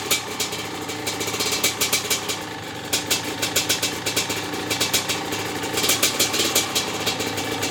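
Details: Maico 660 two-stroke dirt bike just reassembled with new reeds and reed intake and clamp-on air filter, run stationary: crisp popping beat with slightly lumpy tickover, started and restarted easily, only idle needs setting, pipe sealed with no leaks; normal running.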